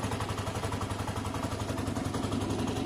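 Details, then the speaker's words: Finished Lexmoto Diablo 125 just started after a hesitant first attempt (owner wonders if it's fuel), warming up: quick, even putter at steady idle, no knocks or misses; healthy idle. "it needs a minute to warm up anyway that's a nice running engine at this stage though we'll give it a minute to warm up guys"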